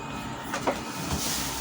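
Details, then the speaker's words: Epson L120 printer after repair, at power-on: short whirr with light clicks as the carriage moves, no hard slams at either end; no longer hitting left and right, working normally. "Sudah tidak nabrak kanan kiri lagi ya, sudah bisa jalan"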